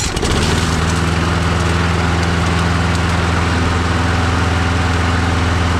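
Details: Husqvarna trimmer after repair: catches within half a second and settles into a steady, even low drone with no misses; normal running.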